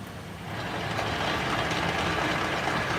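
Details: 2001 Chevrolet Silverado 1500 5.3L, 159,756 miles: harsh gritty grinding with uneven pulse about four a second, louder in reverse, from near end of output shaft; driveshaft looks fine, cause unknown.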